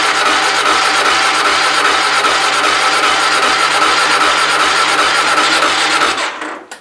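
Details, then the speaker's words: Motorcycle, just purchased, cold start attempt in winter; owner noted it is hard to start when cold. Steady fast cranking with no catch or firing, then stops. Later found it was frozen up; cranks but won't start when cold. "I did notice it is a bit hard to start when it's cold so 2-15 here today so we'll see how she does"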